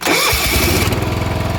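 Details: Late-80s/early-90s John Deere 160 riding mower with Kawasaki engine, after cleaning corroded ignition switch terminals that caused intermittent no-crank; starter spins briefly, engine catches at once into an even, steady idle.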